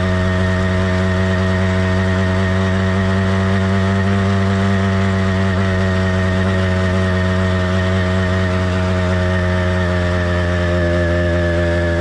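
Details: Kit motorized bicycle with cheap two-stroke engine, single-speed transmission and single-circuit carburetor, warmed up but not heat soaked. A steady, smooth, even buzzing two-stroke note holds constant speed with no misfire or stutter. Normal healthy running.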